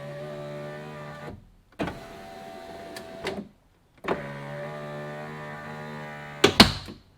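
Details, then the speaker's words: 2017 Fiat 500e front power window regulator/motor: a steady motor whirr, then a sharp snap at the top as the regulator overtravels. The glass clip pops off its hole and the window jams. "that's the sound that bothers me because that's the regulator going up too far and then that little clip snaps off"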